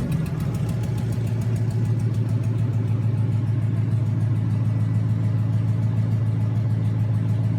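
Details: Junkyard 2009 5.7 Hemi, about 80,000 miles, bound for a 1972 Cuda, on a run stand with new Hotwire harness and used 2009 Challenger PCM. First startup after oil priming and a return-style fuel rail conversion. Even, fast V8 burble at steady idle, no ticking or knocking. Normal idle.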